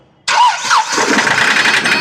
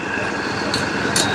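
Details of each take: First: 2013 Hyundai i10 Grand Magna diesel, long parked: starts then runs harsh with rattly knocking, hunting speed and heavy black smoke, no DTC or check engine light. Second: 2013 Hyundai i10 Grand Magna diesel, previously hunting, knocking and black smoke with no DTC, after ECM change; even steady diesel idle with no knocks or misses, normal idle.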